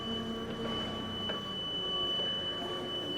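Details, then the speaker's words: Older Hyster S50XM 5,000 lb propane (LP) forklift, just after disengaging the brake to drive off: steady high-pitched whine/whistle over the running engine, a noise it normally makes that goes away after a couple of seconds; cause not stated. "will go away after a couple seconds, which allows us to essentially just drive this around without that noise, which is very peaceful."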